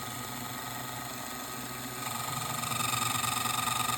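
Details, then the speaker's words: MARBLTRAK marble booster with a 550 motor being tuned: the motor whine grows louder and pulses about four times a second as it strains. The gear mesh is set too tight. "we don't want it too tight let me show you what that sounds"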